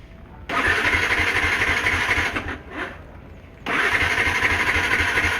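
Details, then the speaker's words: Yamaha R15 V2, two bursts of steady starter cranking about four pulses a second, engine not catching; owner suspects fuel starvation and a weak fuel pump, after cleaning the throttle body, fuel filter and new spark plug. "oh ' ba Ayaw mag-start pa pero pagka naano na natin siya ng fuel pump Ayan ba magi-start na siya"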